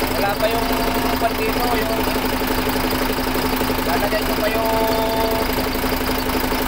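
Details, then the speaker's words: Freshly overhauled turbo diesel engine idling for break-in after starting on the second try: a smooth, even hum with regular clatter and no odd knocks. The rebuild sounds healthy. "bale Okay naman nakuha naman sa pangalawang start lang andar agad bale maganda ang ating mga b yan"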